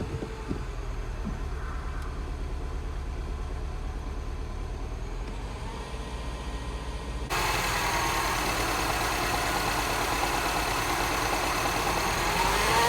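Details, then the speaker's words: Non-running Mini Cooper S, just started with a jump pack because the battery is completely dead: quiet, lumpy idle that stumbles now and then, with visible engine shaking; an idle misfire that doesn't sound too bad. "Yes, you can hear that misfire. And you can see it's got a misfire as well with all that shaking. Doesn't sound too bad though."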